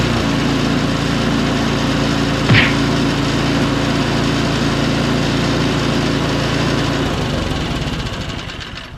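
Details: Snowblower, started after fitting a new valve and tightening loose hose clamps: small single-cylinder engine holds a steady, even note with no stumbling or surging, then winds down smoothly; runs normally.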